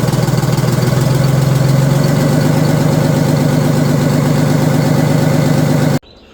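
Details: Old Detroit Diesel two-stroke in a vintage GMC truck, on fresh fuel with the fuel filters removed: a strong, even idle with no misses for six seconds, then shut off; the engine is healthy.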